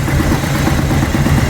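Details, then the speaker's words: 2000 Chevy S10, first start after battery hookup and oil change, service engine and low fuel lights on: lumpy, uneven idle with heavy irregular thumps, engine rocking on its mounts; plugs later looked poor, compression fine. Bad misfire. "so we got a bad Miss that's about it let's go check it out real quick oh look at good bad miss making it jump jump"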